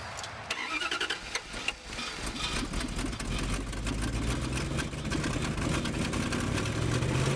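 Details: Woodgas-fuelled truck on a cold start with no gasoline, with a weak char bed and damp wood; leftover gasoline in the system likely helped. It cranks, catches after a couple of seconds and settles into a rough, uneven cold idle.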